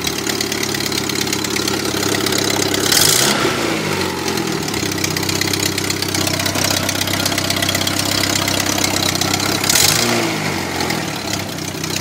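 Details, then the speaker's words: Daewoo Lanos after a swap to a 1.4L GM Family 1 engine: a rough, loud idle with a raspy ticking chuff and two rev blips, sounding like a tractor; exhaust manifold leak from two broken studs. "the only problem is that still has those two broken studs which something that I have to fix soon because it sounds like a tractor"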